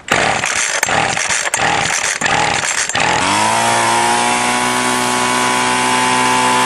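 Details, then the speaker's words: Two-stroke weedeater string trimmer after removing limiter caps and adjusting carb high/low mixture screws, primed: a few rough pulls, then a steady smooth high buzz at full throttle; now running right. "so i messed around with the adjusted screw and got it running right"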